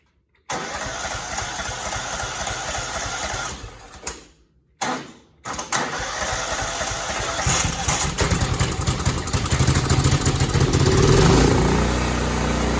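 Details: Cub Cadet 2166 with a 16 hp Kohler Command single-cylinder engine, after a new fuel pump and priming with fuel poured in the top: it catches after a brief stumble, then settles into a steady, even thump. Normal running.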